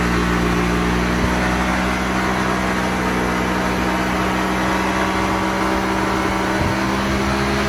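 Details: Honda Vario 150 LED scooter after service for heavy engine oil seepage and throttle body cleaning, stock exhaust, on the dyno: loud steady drone at constant speed with roller whir, no misses or surging; normal running under load.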